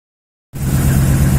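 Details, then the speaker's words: 2010 Dodge Ram with misfire on cylinder 4: lumpy, stumbling idle; rodents chewed the injector wiring, so the number 4 injector drive circuit is damaged and gets no signal; cylinder misfire. "so we're working on a 2010 dodge around with a Miss on cylinder number four"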